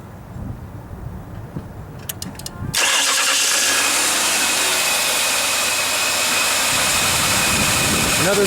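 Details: 2002 Ford Taurus 3.0L V6 after starter replacement (old starter had slow/no crank from oil on brushes; new one has plastic oil shield and new solenoid lead): quiet, then brisk crank catches straight into steady even idle, no grinding or slow turning; normal start.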